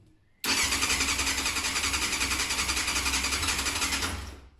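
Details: A 1990 Yamaha FZR600 barn find on its third start attempt, leaking fuel and in neutral on its stand: the starter churns with a steady pulsing beat, about four a second, for four seconds, but the engine never fires.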